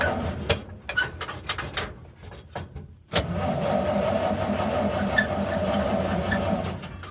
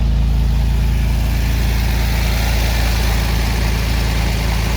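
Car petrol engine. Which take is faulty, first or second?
first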